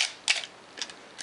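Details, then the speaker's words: Canon AE1 Program 35mm SLR with 50mm FD f/1.8 lens, untouched as found, at a slow speed: crisp mirror slap then a second clack about a quarter second later, no typical Canon squeal; shutter timing and firing normally. "and if we operate it here we can hear the shutter. It does not have that characteristic squeal that many Canons have after they've sat for many years."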